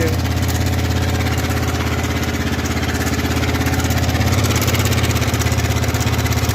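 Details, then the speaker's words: Yamaha R15 v3 motorcycle engine at idle: a steady, light metallic tick, about three per second, over a low thrum; owner suspects the timing chain tensioner and plans to replace it at a garage. "तो अपना पिस्ट में कुछ आवाज आ रहा है engine सेक मुझे लगता है चेन टेंशनर की वजह से आता होगा"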